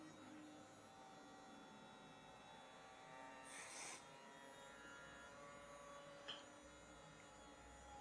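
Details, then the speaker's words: RNLI Severn Class RC lifeboat by Zappies, bench test of a small brushed long-shaft drive motor that had failed and was previously repaired, parts temporarily held together: faint steady high whine, even pitch, no scraping or rattle; running smoothly. "just hold that together for now one oh nice and smooth"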